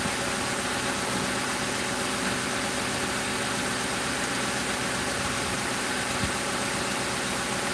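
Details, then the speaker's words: 2005 Crown Victoria police car V8 idling after replacing the grounded No. 4 ignition coil and plug that blew fuse 9 and cut all eight coils; even steady idle under loud airy hiss, no stumble or miss; normal idle. "pretty good, you guys. Sounding pretty good."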